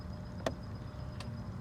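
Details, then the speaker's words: 2000 Yamaha YZF R6 that stalled with a dead battery and won't turn over; two sharp, dry clicks about 0.75 s apart over a low hum at start attempt. Owner unsure whether it's the fuel pump; source unconfirmed. "click what is that the fuel pump what is it"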